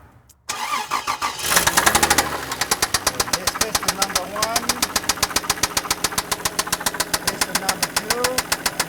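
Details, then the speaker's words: Toyota Land Cruiser engine idling, microphone held on a screwdriver touching the block: sharp regular metallic knock about three or four per second over idle; mechanic suspects a rod bearing, not yet confirmed. "so you're pretty convinced that that's breaking it's gonna be a rod bearing right now"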